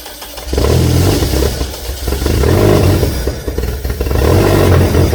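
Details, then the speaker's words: VW Beetle catches the moment fuel is added by hand after a temporary fuel system repair, running rough and uneven. The owner suspects the injectors aren't injecting or fuel pressure is too low. "okay so as you just saw if I add fuel it runs so clearly something is keeping the injectors from injecting fuel or my fuel pressure is tooo low"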